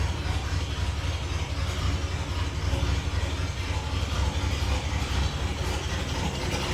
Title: Still making noise!1960 dodge d100 cam !💯💯